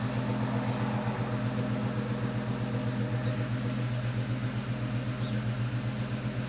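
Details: 2002 Ford Mustang GT V8 runs with a rough, lumpy stumble about four times a second, misfiring after a thread insert was installed in cylinder 3.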